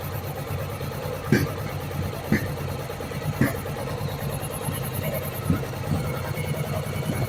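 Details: Warm Yamaha Virago 1100 V-twin during carburetor synchronization with the air filter removed: an uneven thumping idle broken by sharp pops about every one to two seconds as the open intake spits back.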